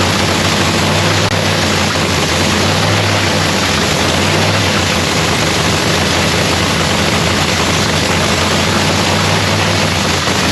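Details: Lexus race car's supercharged engine at first start of the season in shop paint booth; loud, steady, deep drone with even beat, no misses or knocks; idling cleanly, normal idle.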